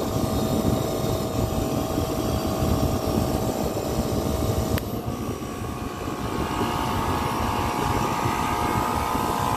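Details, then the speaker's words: Copeland digital scroll compressor in a Liebert precision cooling unit for data centers. Steady hum drops in tone after a click as the solenoid valve routes discharge gas back to suction to vary capacity. This is normal capacity modulation, not broken. "so you hear that difference or the change in sound or the change in tone or the clicks it's not broken all right it's not broken this is what you call a copeland digital scroll compressor"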